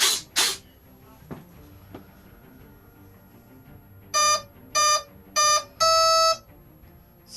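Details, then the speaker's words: RC plane with suspected overheating 40A ESC swapped for 50A ESC, after binding transmitter: three short high beeps then one longer beep on power-up; ESC arming, last beep relates to brake setting. "there's three bleeps and then that last bleep is something to do with the break so i'll have to check to see whether it breaks on and off"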